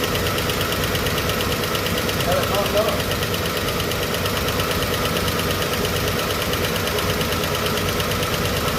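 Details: Chevrolet 235 Blue Flame sedan idling just after a lifter rebuild: a rough idle with busy, uneven ticking of about three per second over the top. The rockers and lifters still need adjusting.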